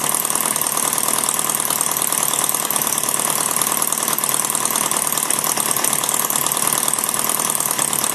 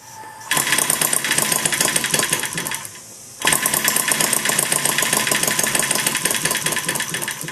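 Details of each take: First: Maier TA4 radial after tuneup, warmed up, at low idle taking almost nothing to run: fast, light popping, firing every time with no misses; normal warm idle. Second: Maier TA4 four-cylinder during tuneup: fast, rattly buzzing that cuts out briefly then picks up, firing on only two of four cylinders; may need richening.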